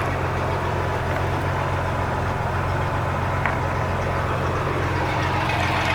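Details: 4.3 MerCruiser V6 boat engine after no-start repair (bad starter, carburetor rebuilt): loud steady low rumble at idle, even firing with no knocks or misses; running normally.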